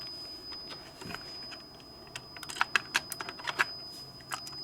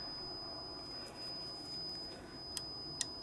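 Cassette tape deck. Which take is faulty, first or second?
first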